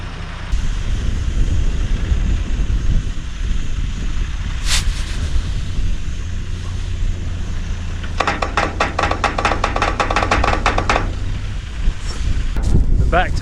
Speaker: tailgate's a little bit stiff, that's what's making all that noise. It's been stiff ever since we bought it, but have a look at that, it doesn't want to go back down.